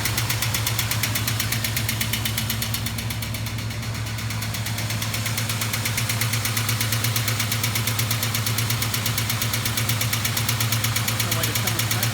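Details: 1973 Duster with 360 V8 built about 25 years ago, idling after cold start: steady light clack about three a second from one bank; intermittently sticking lifter that quiets at full operating temperature, suspected, being diagnosed before replacement.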